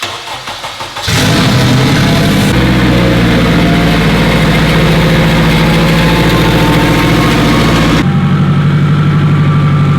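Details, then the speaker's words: Honda Civic Si, newly built K-series with T51 turbo and hood-dump exhaust, DC5 Creations kit, cooling system bled with no leaks, map not yet tuned: catches after a few cranks, settles into a strong, even run with a rising turbo whistle on throttle. Sounds healthy. "Sounds incredible. A hood dumped K series, T51 Armad."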